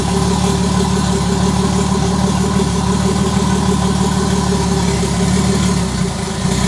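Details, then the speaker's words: Start at about 30° on EMU ECU with wideband O2 and 10% ethanol fuel: steady loud idle with uneven, slightly hunting beat and small dip; rough idle from vacuum leaks, running rich, throttle body needs opening more. "we still kept vacuum leaks which means that we need to plug them and also open up the throttle body a bit more we are rich"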